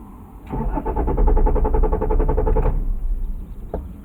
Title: Mommy's Car Won't Start After Shopping